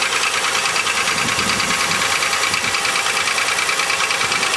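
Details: 2000 Chevrolet Malibu 3.1 (3100) V6, 90,098 miles, cold start: steady rapid knock, about two a second, over a harsh idle; owner suspects piston slap, worst cold and only slightly better warm, thicker oil didn't help.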